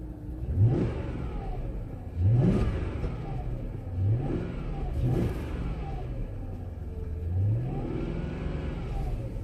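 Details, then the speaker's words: Jaguar engine before coil pack work, still cold, owner notes miss at idle once warm that goes away on throttle: clean even rev blips with no stumble; runs smooth and strong now. "so here's the Jag you can hear the engine that's really good and strong I'll shut up so you can hear it"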